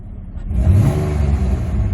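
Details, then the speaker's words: GM vehicle bought at a military auction: it revs with a rough, uneven note, a little popping and a brief stumble, so it hesitates under throttle. The owner suspects bad spark plugs or a very dirty air filter. "listen to her she she uh has a hesitation here you hear that a little popping they just got bad plugs"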